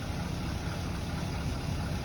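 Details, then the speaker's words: Fred, a Chevrolet C10 Silverado farm truck, just fitted with a new exhaust with twin tailpipes and tuned up: low, soft, even idle with steady rumble and no ticks or rattles; running smoothly and quietly, normal idle. "All right, so we're running. Definitely a lot smoother. Oh, it's idling nice. Listen to her. You can hardly hear it."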